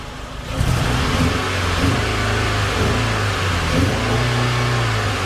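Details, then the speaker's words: 2006 Mitsubishi Eclipse after a new muffler was cut in and welded on with a new exhaust tip: the engine revs smoothly with a deep, even exhaust note and no rattle, blowing or ticking. The exhaust sounds healthy. "Exhaust tip looks pretty good. Sounds pretty good."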